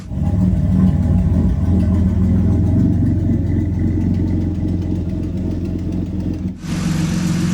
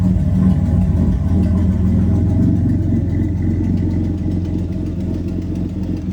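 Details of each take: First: Turbocharged 3800 L67 Camaro with a custom exhaust, after the fix for loud ticking; a steady low idle with only faint valvetrain patter while warming up after sitting. The idle is normal and quiet. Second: Turbocharged 3800 L67 V6 in a Camaro with new custom exhaust, idling: sharp, steady tick about four times a second; suspected exhaust leak or possible valvetrain issue, found to be a leaking exhaust manifold.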